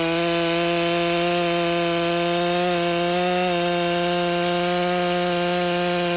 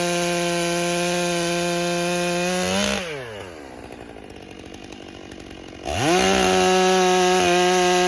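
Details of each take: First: Stihl MS661 C-M chainsaw rebuilt after being declared a total loss, cold start on dry carburetor, first cuts; slightly rough gurgling four-stroking, then pitch lifting as the M-Tronic electronic carburetor dials in its tune. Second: Rebuilt Stihl MS661 C-M chainsaw cutting after cold start, M-Tronic carburetor building heat and adjusting fuel; clean high scream pulling down under cut and snapping back to full revs, textbook normal operation.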